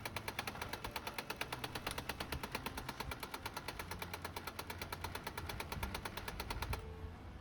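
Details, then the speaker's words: HP LaserJet M202dw printer during test print: fast, even clacking, about nine knocks a second, from the motor's timing belt slipping at its pulley lock; gears are fine. "यह पब्लिंग कर रहा है। इसकी वजह से हमारे खटखट वाली आवाज आ रही है।"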